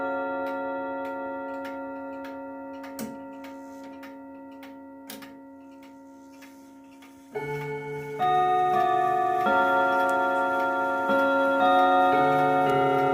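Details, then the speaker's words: 1940s Manufrance box clock (1945–46) with a Girod movement, long pendulum and Saint Etienne rod chimes. Steady ticking about four beats a second, then the chime melody with some notes sagging flat and the strike slightly off pitch: flat rods, out-of-tune strike. "Uh it sounds a little flat and the strike is a little out of tune."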